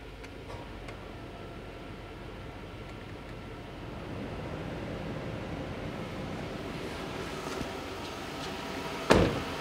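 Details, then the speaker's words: Chevy Tahoe after an electric fan conversion with PCM wiring done, engine not yet warm, AC switched on; quiet, even idle as a soft rush swells in with both fans on low, no rattle. AC now blows cold. Normal idle with fans on low. "oh yeah they're on they're on low speed but they're both on oh yeah ac is blowing nice and cold finally"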